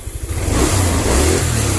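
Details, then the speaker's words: Honda Vario 110 (first model) scooter that stalls when the horn or turn signal is used, kick-started with the battery removed and a new regulator (kiprok) fitted. A quick throttle blip climbs smoothly and settles back without stumbling: normal revving. Old regulator suspected faulty. "Nah, oke guys, motornya normal. Tunggu tuh, gasnya terlalu tinggi, terlalu kencang nih. Nah, sekarang sudah normal."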